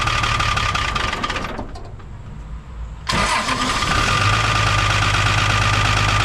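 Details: 1975 Chevy stepside with Isuzu 6BB1 5.4L diesel, rebuilt injection pump, after adjusting injectors that were popping off too low and bleeding: catches after a brief gap, then settles into a steady even idle clatter with slight roughness.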